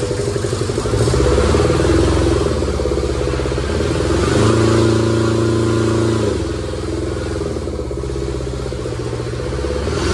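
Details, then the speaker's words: Kubota T1600 diesel mower, 530 hours, first start in years: brisk two-cylinder diesel clatter climbing smoothly with throttle and settling back, no misses or knocks; healthy, later warmed up without overheating. "yeah seems to be running good man I'm gonna give her some throttle here"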